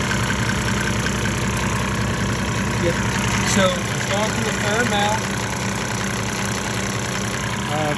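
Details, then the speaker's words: 1998 Mercedes-Benz E300 OM606 diesel at 9,000 ft, during a fuel-system purge, idle slowed back down from higher rpm: steady, even low beat without missing or uneven knock, some smoke remaining; normal idle. "of course when you're running a little high RPM to go through faster but I've slowed it idle down sounds better"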